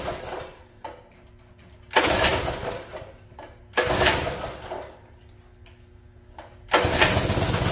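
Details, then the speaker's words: Free mini bike pull-start engine, sat for an unknown time and possibly cold: three short pulls turn it over but it never fires; water found in the float bowl and fuel supply suspected. "I think some water's got in there see if it's full of water going to say it's full of water oh yeah she's wet she wet oh yeah there's water in there"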